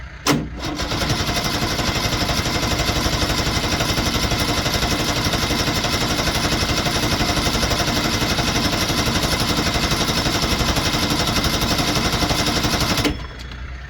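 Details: 1973 Ski-Doo 399 twin two-stroke snowmobile, long parked, first run on fresh premix: coughs, catches and holds an even, rapid crackle for over ten seconds; running fine, carburetor cleaning still to come.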